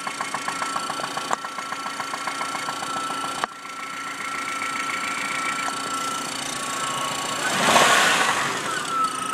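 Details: 1997 Saturn SC2 at idle, heard through a stethoscope: regular tapping about three to four per second, a knock that began six weeks after purchase right after high rpm; cause unknown.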